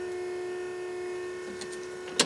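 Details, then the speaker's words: Toyota MR2 being readied for first engine start after oil pump rebuild, key in accessory, engine off: constant mid-pitched electric whine from front of car ending in a clunk; owner suspects power steering pump. "So the noise is coming from the front of the car. I suspect it's the power steering pump."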